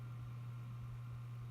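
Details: New PC build, four PWM case fans on a hub after switching from DC full speed to PWM mode, recorded close to the case with EarPods; only a soft, steady low hum with no ticking or whine. Normal quiet fan operation.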